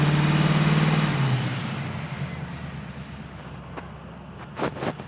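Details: 1931 Ford pickup with tri-power carbs after ignition and carburetor repair; compression was checked. Revs drop smoothly from a blip and settle into an even, steady idle with no misses. It sounds a lot better.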